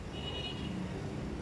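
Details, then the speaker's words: Electric fan after repair of weak, slow running caused by a failing capacitor: on speed 1 it now spins faster than speed 3 did before, a steady strong whoosh over low hum; normal high-speed running. "quay tít mù luôn 32 số 1 hiện tại bây giờ số 1 nó cũng quay hơn số ba vừa lấy rất nhiều quá nhé anh nghe tiếng quạt nó chạy Ù luôn"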